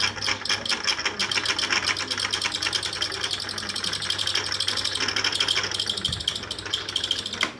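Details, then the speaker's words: Electric fan that still runs makes a harsh, rapid rasping chatter over a low motor hum from dry, dirty shaft bearings. "Ese es el ruido que hace y ahora lo que vamos a hacer y les voy a mostrar es cómo hacer para que se quite el ruido ese que hace."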